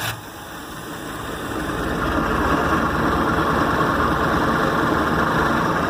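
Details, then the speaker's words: 1997/98 Sea Ray with Mercruiser 3.0L four-cylinder after head gasket replacement, first test run: catches quickly, then settles into a steady, even idle that builds slightly and holds smoothly; running normally. "Alright, so we're up and running."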